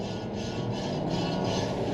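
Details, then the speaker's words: Nismo Sentra on a track day: rough raspy scraping rises over road and engine noise while slowing; the driver and a listener suspect a brake dust shield rubbing, not confirmed. "Ooh. The brakes seem to be making some noise. Let's check those out and see what's going on."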